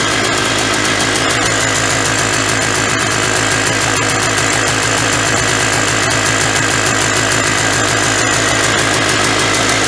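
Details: 1991 Polaris Trail Boss two-stroke, stored 28 years in a chicken coop, first start on gas poured into the carburetor; crisp even idle, steady pulse about three beats a second, no knocks or misses, smoking, oil injection apparently working; normal idle.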